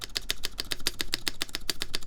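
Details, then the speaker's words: Mode Envoy keyboard, aluminum plate, Cherry MX Black switches, GMK keycaps, screw-in QMX stabilizers lubed with 205g0, spacebar perhaps over-tightened: quick, even clicking with a light sharp tick on each press; ticking rather than rattle, better than stock Cherry stabilizers. "like I do hear rattle no I would say I hear ticking but it's not like a rattlesnake kind of sound"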